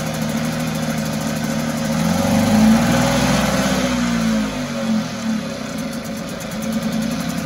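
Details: 1974 Mercury 4 hp single-cylinder two-stroke outboard in a water test tank after revival: buzzes up, then revs sag and waver as it falters and dies after priming; owner suspects a tired fuel pump not drawing fuel.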